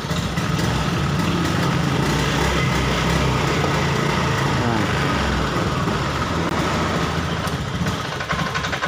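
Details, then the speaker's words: Honda Beat eSP scooter with no MIL fault blink: runs unevenly with sputtering irregular beat and won't rev when throttled; bogging, suspected rusty spark plug, TPS value, fuel pump pressure or clogged injector. "nah kemudian kita gas masih gak enggak mau ya masih lama wigos"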